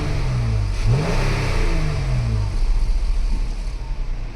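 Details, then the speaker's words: Dodge/Jeep/Chrysler 3.6 V6 after new rocker arms, oil cooler, spark plugs and coil packs: free rev is smooth, rising and falling cleanly with no ticking, no check engine light; normal. "see no ticking sounds good at first it was like but now it's smooth like it's supposed to"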